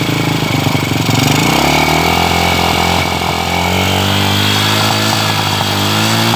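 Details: Motorcycle running on a previously dead, carbon-fouled spark plug after its gap was widened slightly: engine catches after a rough start and settles into a steady even beat with no misfires; plug works again.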